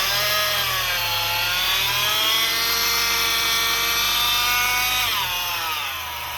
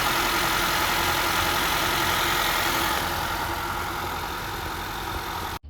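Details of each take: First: Honda 2.4 four-cylinder (2013-2017 Accord/CR-V), before repair: a loud, steady high-pitched supercharger-like whine that drops with revs from a failing aftermarket tensioner pulley bearing, replaced only a year earlier. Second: 2013-2017 Honda Accord/CR-V 2.4 four-cylinder after tensioner pulley and serpentine belt replacement: smooth, even idle with steady hum, no squeal, chirp or belt wobble; noise solved, normal idle.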